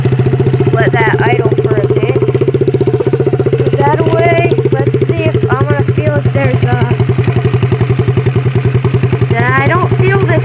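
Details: Quad single-cylinder engine running with the spark plug refitted after an internal engine problem was found: a steady, even thump of three to four beats a second with no rubbing or knocking. It is run briefly to see if nail polish wears off a part suspected of rubbing the cam.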